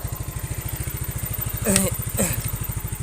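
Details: Yamaha Mio scooter carburetor after setting; previously hesitated (berebet) on first throttle, used excess fuel and lacked power. Now even, steady idle with two quick throttle blips that rise cleanly and drop back without stumbling; no hesitation, normal.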